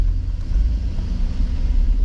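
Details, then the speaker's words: Chevy Express van on a test drive on a 75-degree day after exhaust manifold replacement: low, smooth rumble under way with no ticking or puffing leak; the exhaust is sealed and quiet compared with the loud leak before. "All right, my battery's gonna die, but I am taking the van out on a test drive, and it is amazingly quiet."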